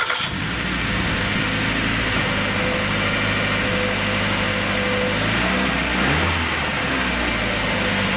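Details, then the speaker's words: 1994 Mazda Miata after new timing belt, water pump, radiator, hoses and seals, run with no accessory belt before the cooling system is filled: steady, even idle with no misfire, tick or knock. Runs smooth. "and I heard everything I needed to hear the engine sounds great it's running smooth as glass"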